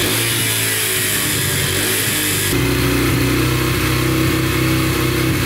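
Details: Yamaha TTR125 dirt bike after bottom- and top-end rebuild: crisp, even idle and clean rev with no ticking or knocking, no oil leaks after a short ride in first gear; idle slightly high, then turned down. Normal engine running.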